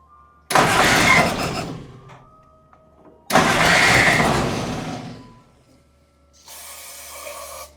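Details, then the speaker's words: Jeep CJ2A at first start attempt, carb bowl backfilled with brake clean: two short harsh cranking bursts about a second each, no catch; starter sounds rough and labouring, owner considering a high-torque starter replacement. "That starter sounds horrible. I'm sure you could hear it. So I may end up still buying that $250 high torque starter."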